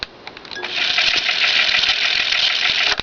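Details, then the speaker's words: Sony BM-10 dictation cassette recorder, perhaps circa 1975, long left in play: fast, uneven tick about three or four times a second over tape hiss, from dented/flat-spotted idlers and pinch roller. "that funny tick tick tick tick tick tick tick tick noise what usually causes that on an old cassette recorder a real Trio for that matter that's been left alone for a long long long time"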